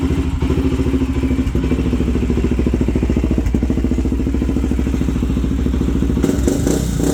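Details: Older Honda 400EX sport quad single-cylinder at fast idle: thumping with uneven beat and occasional soft or dropped pulse; slight miss, owner suspects it may be loading up on fuel, unsure.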